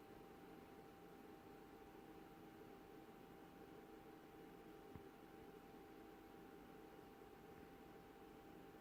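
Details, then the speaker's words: BenQ W2700 projector at switch-on: the fans start, then 30–40 seconds later a much louder noise begins and stays as long as it runs. A steady hum near 800 Hz sits over the fan rush; cause unclear. "You'll hear the fans coming on, and then about 30-40 seconds later you'll hear something else coming on much louder than the fans, and that noise just stays on as long as the projector is on."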